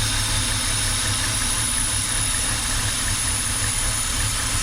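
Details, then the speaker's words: 2007 BMW X3 N52 3.0 six-cylinder at idle: steady high thin whistle over a rough, uneven idle as air is sucked past the rear main seal into the crankcase. Car also stalls. "that's the rear main seal screaming because it's basically sucking itself in and it's the air passing through from atmosphere into the crankcase through the seal and it makes that whistling noise"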